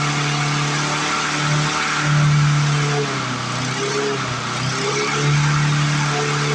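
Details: 1997 Lawn Chief 3.75 hp 20-inch push mower, single-cylinder, after fixing mouse nest, return spring, throttle and bail cables: runs steady without surging now but pitch sits high, sounding like more RPM than it should; governor working.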